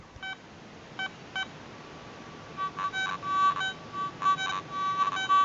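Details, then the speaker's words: Garrett ATX pulse induction metal detector in motion mode, iron check button held over a horseshoe nail: short beeps, then choppy, buzzy grunting tone bursts; the detector is signalling an iron target. "you can hear that grunting that's uh same system as in the at machines which is uh indicates not a good Target it's iron"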